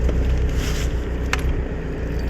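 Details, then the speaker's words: Boat engine on a mooring, run to charge the batteries, has run out of fuel: a low idle rumble wavers as the revs sag and recover unevenly (hunting) before it dies; engine hunting from fuel starvation. "can you hear the not of the the no of the engine hunting up and down that's because it's run out of"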